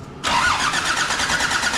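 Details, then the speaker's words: Land Rover Defender TD5 diesel, first start after a new galvanised chassis and new clutch; the fuel pump was primed, with a little throttle; catches almost at once and settles into a steady, even idle clatter; healthy start. "that is why I love a TD5 they will start even if their ass end is hanging off they will start"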